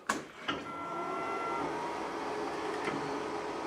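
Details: K40 laser cutter: short clicks, then a clean motor whine as the axis travels and settles into a smooth, even hum; the gantry homes normally.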